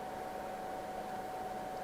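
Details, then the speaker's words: LYTE gaming PC that reportedly gave no video signal, booting: constant loud airy rush with a steady mid-pitched whine, fans spinning awfully fast and loud; cause not confirmed. "those fans are running awfully fast awfully fast oh maybe not that was way louder"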